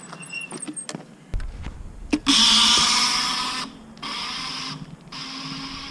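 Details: Electric scooter rear wheel, recorded close-up, not hot after a few seconds' cruising, recently ridden on dirt trails: harsh, hissy grinding whir in bursts whenever it pulls away under throttle load, quiet when light on throttle; front wheel silent; cause unknown.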